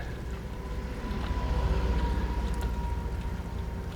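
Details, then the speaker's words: RV water pump tested through a garden hose: low pulsing drone with a faint thin whine, slow to prime. Once flowing, output and pressure are weaker than expected. "it. It's trying. It's trying. It's like the pump's... There we go. Ooh, it's not pumping out very much right now. I would expect to see more coming out of there."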